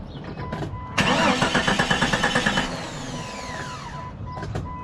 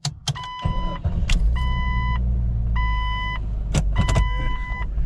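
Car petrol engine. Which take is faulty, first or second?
first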